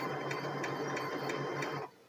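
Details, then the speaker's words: HP P1566 laser printer, printing: light, even ticking about three times a second over a soft low hum, then stops cleanly; slight normal sound, no grinding. "देखिए हल्का सा sound कर रहा है जैसे normally आता है उसमें"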